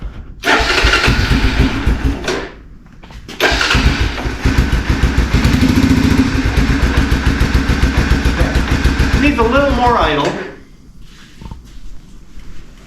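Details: 1987 Honda FourTrax after carburetor and choke repair, started with parts still off: cranks briefly, catches and settles into a steady putter of about three to four beats a second at low idle, then shuts off.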